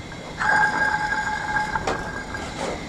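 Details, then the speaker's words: Craftsman T110 mower deck spindle spun by hand gives a hard ringing whine, then a rough roaring rumble. The spindle bearing is worn out. "she's just roaring like crazy so that bearing is gone"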